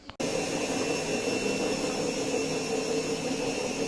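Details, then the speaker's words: Siemens washing machine spinning after motor brush replacement: steady loud roar with droning hum from worn drum bearings; worse cases sound like a jet engine. Drum cut open for bearing change, door boot replaced for a water leak. "Bu ses rulmanlardan geliyor. Yani bu sesi iyi dinleyin. Bunun daha böyle aykırısı, çok olanı jet motoru gibi çıkar."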